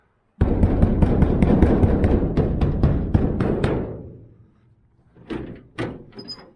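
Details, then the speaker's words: 1969 Chevy van, body rattles: a dense run of rapid loose clunks for about three seconds, then two or three separate knocks; a rattling door, owner pretty sure it's the latches. "This, I'm pretty sure it's the latches. That little deals that pop up there, they go in here."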